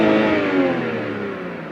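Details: BMW 320i after a starter replacement, earlier no-start: engine falls smoothly from a rev, tone sliding down evenly with no misses or rattles; starts and runs fine.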